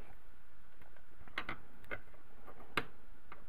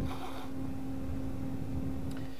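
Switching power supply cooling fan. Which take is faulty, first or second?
first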